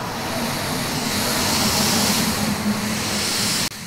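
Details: Audi TT boost leak found with an air compressor: a steady hissing rush near the inlet manifold side that swells when the intake pipe is wiggled. A split three-way intake pipe is suspected.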